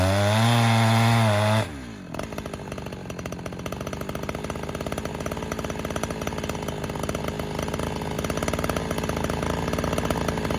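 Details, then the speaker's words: Chinese-made Husqvarna 372XP kit chainsaw with carburettor set richer just before: bogs briefly, then settles into a strong, even high-revving buzz while cutting, pulling cleanly as it hits the power band; owner reckons it wants to run rich. "just happened. It was like it hit power band just then. Did you hear it?"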